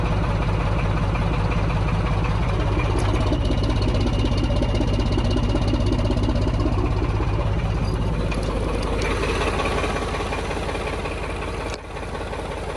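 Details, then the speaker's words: D9531 locomotive Paxman diesel after injector overhaul: starts immediately, settling into a smooth, steady idle about 160 pulses a minute, no misfire, knock or smoke. "The engine started immediately, which was a huge surprise to myself. And you can see the actual engine here. It is really, really smooth."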